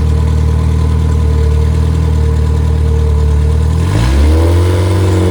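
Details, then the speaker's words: Rebuilt Triumph Spitfire 1500 engine with flat-top pistons, 270-duration cam and head shaved to about 9.5:1 (compression 190–205 psi); new guides, double springs, duplex chain. Steady, even four-cylinder idle that picks up cleanly on throttle; normal idle and rev. "And but it runs real well, and we have flat top pistons in it, and took some material off the head to increase the compression."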